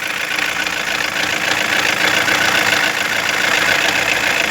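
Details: 2016 Toyota Corolla idling with replacement engine, knocking getting worse: busy clattery ticking over steady hum; connector unplugged with no change, wiring checked OK; engine computer suspected, to be replaced and reprogrammed; cause unconfirmed.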